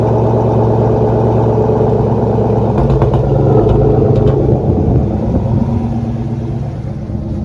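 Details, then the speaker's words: 2004 Ford Mustang Mach 1 with SLP mufflers, after its fuel pump inertia switch was reset and fuel flow checked: steady, even idle with a deep smooth exhaust burble and no misfire. Runs normally. "so it's running great now i'll leave you with a little exhaust clip he has slp mufflers on it"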